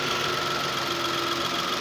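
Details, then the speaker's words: Datsun Go idling after replacing the faulty No. 3 ignition coil that caused misfiring: steady even hum, faint whine, no misses or jerking; engine runs smoothly. "कोई दिक्कत नहीं है, इंजन बिल्कुल स्मूथ है।"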